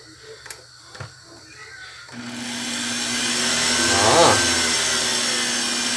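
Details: Blender that had made a loud metallic noise, after repair and reassembly: a couple of switch clicks, then the motor spins up to a smooth, steady whir with no metallic rattle; normal running.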